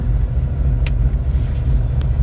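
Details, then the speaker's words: Engine with a newly installed MSD 3-step on an analog MSD 6AL box, line-lock step switched on at about 3,800 rpm; steady high revs with a fast, even limiter stutter, cutting in cleanly. "So we'll turn it on. Switch is on. So it should be right about 3,800 RPM. Perfect."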